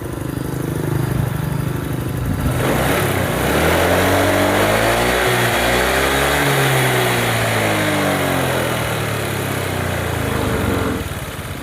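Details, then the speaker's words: Honda Vario 125 after a heavy engine rebuild, warmed to 88 °C: small single revs rise and settle smoothly with no knock or rattle; running smooth, slight leftover smoke from assembly oil. "Oke ya, untuk motornya ini sudah halus, tidak ada masalah ya, ngebulnya pun masih ada dikit-dikit."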